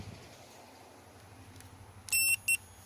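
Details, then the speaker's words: 2017 Chevy Malibu AC leak search, system at zero pressure: electronic leak detector just switched on gives slow sharp beeps in a quiet room; normal standby beep with no refrigerant sensed. "and it it makes this kind of annoying uh beep noise but uh that's just how it works so it makes that noise but then when uh it detects some Freon it'll it'll start uh beeping faster and it'll uh light up the little LED lights"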